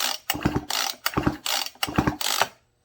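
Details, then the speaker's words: Husqvarna 55 chainsaw recoil starter, stiff and slow to retract, pawls sprayed with lubricant: about five quick pulls, each a rattly ratcheting whir that drags and stops short; slightly better, may still need a rewind; cylinder scratched. "It's a little better. The paws was a little bit stiff."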